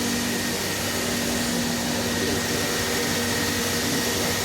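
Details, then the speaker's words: Felder H10 CNC router hold-down vacuum pump activated by foot button at startup before running spoil board program; steady, even rushing hum with constant tone, no surging or rattle; vacuum pump running normally. "so need to put your foot in here press the button when you do that you'll hear the vacuum suck on and it'll also change your back to suction right here"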